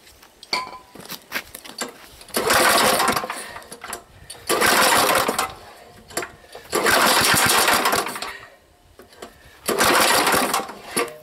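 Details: Old 3,000 W gas generator, long unused, sludged oil, varnished fuel drained, run on gas funneled straight into the carburetor without a usable fuel line: four short bursts of rough, buzzy running, each dying after a couple seconds.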